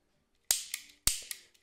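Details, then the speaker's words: A.P.S. Silver Edge Extreme airsoft AEG gearbox with an Element high-torque motor, AK74 conversion. In semi-auto, three cycles are each followed by a lighter extra click; full-auto does not click. The owner later suspected a fire selector issue, and the clicking stopped. "you hear this this clicking sound which is really interesting basically in full auto there is no clicking sound"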